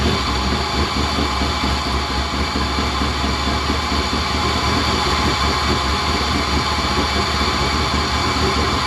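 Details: LS-swapped K5 Blazer after sitting all winter: steady, heavy churning crank drone that never catches or picks up; cranks but won't start.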